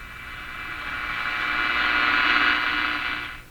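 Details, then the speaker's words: Philco Model 42-322 tube radio tuned to the low end of the band, around 1 MHz: a hissy, crackling rush of hash with faint steady tones underneath. The set is suspected to have a faulty capacitor causing spurious signals, but this is unconfirmed. "so there it comes right up around a million and we have hash on top of the"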